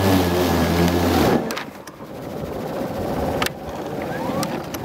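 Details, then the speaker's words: Ryobi 40V cordless mower with 6Ah battery: steady motor hum drops off sharply as grass clippings clog the deck and stall the blade, leaving near-silence with faint clicks until the controller cuts power and it needs a complete restart. "blade just continues to slow down until it comes to a stop, and then you can hear that motor kind of struggling for a minute. The controller inside will then cut power to the motor, and you have to do a complete restart from there."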